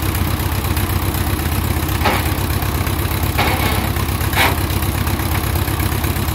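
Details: 1957 Ford 660 tractor idling after first start in 13 to 15 years, started with choke: raw, loud, choppy idle with a hard low exhaust bark, nothing quieting it; owner says it needs a muffler.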